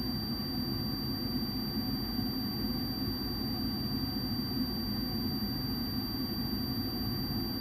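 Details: Furnace inducer blower running during pressure switch vacuum testing through needle valve and tee; low heat switch 0.3, high heat switch 0.78 in water column, closed at 0.81; steady even whooshing hum, no pulsing, rattle or squeal; normal inducer operation.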